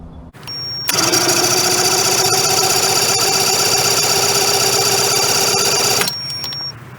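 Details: 1994 Suzuki 115 two-stroke outboard that stalled and died on the river, cranked after priming the bulb: steady starter churn about four turns a second for five seconds, never catching or firing; cranking, no start.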